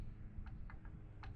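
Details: Mercury Optimax 150 outboard air compressor, turned by hand during removal: a few faint sharp metallic clicks where the shaft has play and the pulley moves up and down. Worn crank pin and rod bearing; compressor being replaced.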